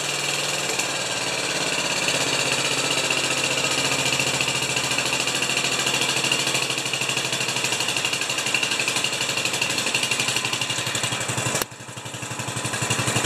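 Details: 10 HP Kohler K241 single-cylinder engine after fitting a new modern fuel pump, battery charging at 12.99 V; steady fast thumping at about four pulses a second with bright mechanical clatter, starts and runs healthy.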